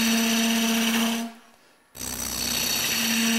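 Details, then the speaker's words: Chatter while wood-turning a thin long stem on a lathe, from heavy pressure on the unsupported far end; harsh buzzing over a steady mid-pitched hum, briefly lifting off then resuming. "so now we're going to you can feel that sound of chatter it's because we're supporting quite a bit of pressure out at the end here"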